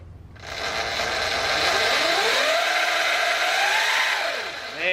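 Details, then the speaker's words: Motorcycle drivetrain after replacing the damaged primary drive chain, believed damaged when a Zero FX hit the bike: vibration is gone, but a motor whine rising and falling with speed over a harsh steady chain rattle remains. Drivetrain still noisy. "look at look at it it's beautiful it's smooth again all right it's still pretty freaking noisy"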